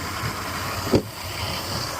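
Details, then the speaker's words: Old Suzuki 150 outboard, long unused: steady low idle with even soft pulse and one brief bump; runs fine, but batteries faulty and charger faulted out, new group 27 batteries planned; normal idle. "I'll call the customer and um let him know that uh she runs."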